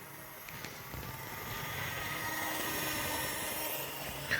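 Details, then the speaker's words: Older analogue model locomotive on a test track at about half speed: soft steady motor whir with light even wheel clicking, no catches or stutters; runs nicely, normal running. "So she's geared for a slower running. Like right now, she's at about half speed, and she's going at a relatively decent pace. So she's actually pretty nice."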